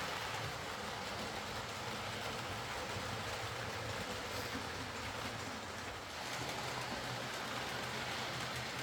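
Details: Hornby R.372 Class A4 "Seagull" tender-drive model loco after repair: stop-start running likely from excess axle oil spoiling pickup; steady even whirr of small motor with light rail clatter, no stutter or surging, runs smoothly.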